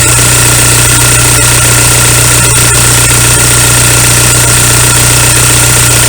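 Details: VW ALH TDI diesel idling after injection pump head seal replacement and fuel line bleeding; even clatter over a constant low drone, no stumbles or hunting; no leaks afterward, normal settled idle.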